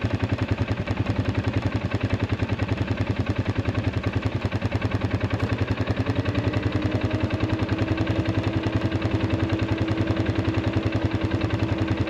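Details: Arctic Cat 500 ATV in freezing cold, after a no-crank breakdown (weak injector prime, starter only clicked, battery tested 34% health): even, steady thumping about 3.5 beats a second, no misses; cold engine settles into clean, normal idle.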